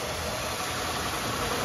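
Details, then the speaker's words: Chevy Impala after repairing a damaged harness wire that caused reduced engine power and multiple sensor codes (wires wrapped, new protector): a smooth, even idle with no misses and no check engine lights after restart. Normal idle. "uh it's running like a top again no check engine lights happy camper"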